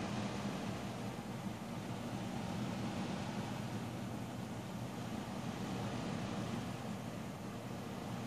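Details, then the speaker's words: Deepcool Captain 240 liquid CPU cooler fans under full load during Intel Extreme Tuning Utility benchmark: steady loud rushing whoosh, fan noise rising and falling, no clicks or grinding; loud but healthy. "ans start ramping up, it really does get quite loud. I think after about the 1500 RPM mark on those fans and above, it's getting pretty loud."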